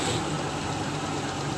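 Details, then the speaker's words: Nissan WD21 Pathfinder VG30E that had lifter tick from the passenger side of the head, revved after 3/4 bottle of Marvel Mystery Oil and a half-hour drive: smooth, even, no tick, healthy. "nice and healthy I'm gonna call that a success"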